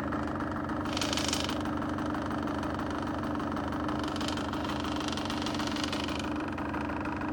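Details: Honda CRM two-stroke motorcycle: steady running with an even tapping knock underneath that holds at idle; engine knock present, cause not yet clear.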